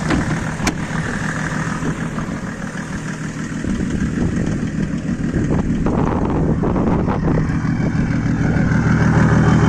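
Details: Mercedes W124 OM606 diesel, straight-through exhaust, revved while parked with heavy smoke: sharp, regular puffing tick climbing with revs, like gas escaping the cracked turbo manifold pipe. The owner had suspected a boost leak or turbo.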